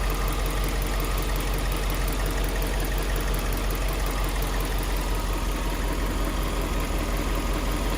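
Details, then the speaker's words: Subaru Liberty B4 twin-turbo at rough idle: loose uneven rattle about three times a second over a deep rumble; owner says it's definitely on one side of the engine, suspects timing or heat shield near turbo, not pinned down. "From here, it definitely sounds like it's on this side. on this side of the engine, I'm sure."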